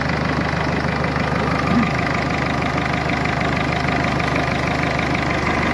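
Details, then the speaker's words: Mercedes A-Class 170 CDI diesel just restarted after replacing the failed turbo: steady even diesel clatter at idle, no misfire or hunting; normal healthy idle, fault was the turbo. "route bon ça a l'air de marcher on va aller essayer sur la route voir ce que ça donne"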